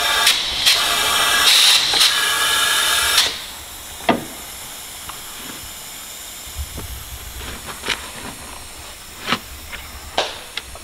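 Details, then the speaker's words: Astra VXR after Airtec intercooler fit, boost leak test at about 10 psi: loud steady air hiss for about three seconds, then stops amid clicks, pressurised air escaping from the intercooler pipework. "he's just put about 10 psi pressure in and we found a leak"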